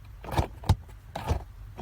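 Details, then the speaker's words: Holden VY Commodore after replacing the vacuum actuator behind the glovebox: soft thumps and clicks as the vent mode is switched, flaps swinging freely and redirecting airflow differently each way. Blend doors and actuator working normally. "you'll probably hear your vents doing something and they do something different when you flip it back"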